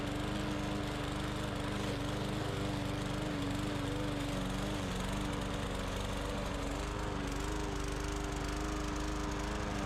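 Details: Bolens push mower, Briggs & Stratton 125 cc OHV engine, brought in for not starting, now cutting soaking-wet grass: even drone that dips slightly in the wet grass and recovers, no surging or misfire. Some tapping was heard, so the valve specs are to be checked.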